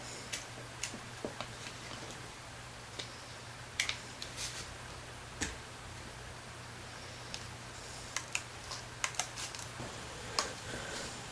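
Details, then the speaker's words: Andis SMC 5-speed animal grooming clipper after switch and button pad reassembly: crisp, separate clicks of the switch buttons, showing they are seated properly; no clicking would mean the rubber pad or switch is pinched. "You want to make sure this is, see how you can hear them click? That's good. If they're not clicking, that means you pinched part of this rubber piece or the switch."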